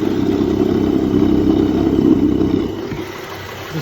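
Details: BMW X5 E70 at about 100k miles: front-end noise heard through a screwdriver-and-bottle stethoscope held on the visibly shaking tensioner pulley; a steady rough growl with a faint rapid beat points to a worn tensioner pulley bearing.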